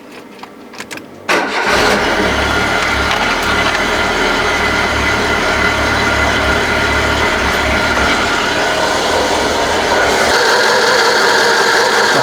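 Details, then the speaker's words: Citroën BX first start after cam belt change: engine catches and settles into fast idle with a thin squeal; the hydraulic pump belt is loose and slipping and needs tightening. "hydraulic pump is not tight enough because it's slipping."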